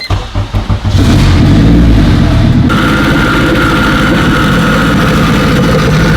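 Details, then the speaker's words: Turbo Honda Civic Si, newly built engine, DC5 Creations turbo kit, no radiator yet so only about 20-second runs: cranks a few times, catches and settles into a steady, even run with a faint whistle on top. Crank pulley rub on the cover fixed by adjustment. "Made a slight adjustment on that cover, and now, thankfully, that noise is gone."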